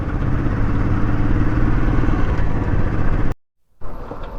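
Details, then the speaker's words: Royal Enfield Classic 350 single-cylinder in neutral after a costly showroom repair: loud thump with a ragged clatter ticking about four times a second; owner thinks something like a loose nut is rattling inside, source of the knock undetermined. "हाँ, किस तरीके की खट खट की आवाज़ कर रही। अभी मैंने न्यूट्रल कर रखी, ये देखिए खट खट खट खट। ऐसा लग रहा है कोई नट अंदर बज रहा है या पता नहीं क्या है, समझ में नहीं आ रहा मेरा।"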